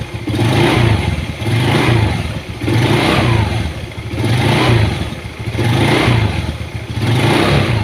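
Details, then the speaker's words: Honda Beat carburetor scooter after replacing worn CVT case bearing and pulley bearings that caused knocking on throttle; revs rise and fall cleanly with no knock or rattle; normal CVT operation. "Alhamdulillah Ini udah sembuh ya untuk penyakitnya yang tadi klorok kodok kalau di gas Alhamdulillah udah hilang"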